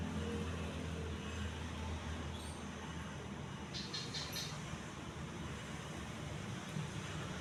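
Quiet, even hum with no clicks, rubbing or wobble, just a smooth steady run; the fan sounds healthy.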